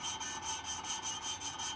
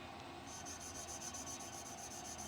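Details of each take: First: Hand-lapping a valve with grinding paste on a vintage tractor cylinder head: gritty back-and-forth rasp about five strokes a second, still coarse and loud, so the valve is not yet seated; it goes dead quiet when seated. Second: Vintage tractor valve being hand-lapped with grinding paste; soft, even rubbing as the valve turns on its seat with no gritty rasp left. It has gone dead quiet, so the valve is well seated.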